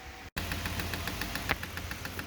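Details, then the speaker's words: 1983 Porsche 944 cooling fan being tested after refitting: the fan runs slowly with a light, regular ticking of several clicks a second over a soft hum; owner thinks the blade is hitting something. "I kind of hear it clicking. I think it's just hitting something."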